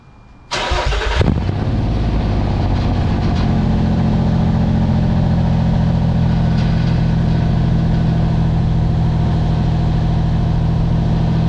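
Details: 2007 Nissan Xterra 4WD, lifted, about 209,000 miles: engine catches and settles into loud deep booming idle with raw exhaust drone; previous owner gutted the exhaust pipe to make it louder, near-straight pipe with a hole.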